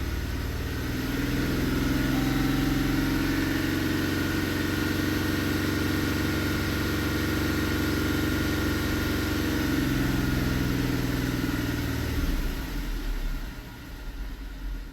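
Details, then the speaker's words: 2017 Dodge Durango 3.6 with 133,000 miles, cylinder 2 misfire: slightly uneven, stumbling idle that clears when revved and worsens at idle; bank 2 running rich, a sticking injector or a bad valve suspected. "Like if I rev it up, it clears up. So I won't focus. If I let it idle, then it gets worse."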